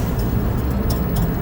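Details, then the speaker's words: Mini split with a smashed main-board fuse: at power-up, low steady thumping with faint ticks as the electronic expansion valve is driven full pulses to home at an end stop, probably closed; normal. "Thumping sound. That's normal. That's the electronic expansion valve, the EXV, being clocked full amount of pulses, no matter what, just to home it to one end or the other, probably to close, I assume."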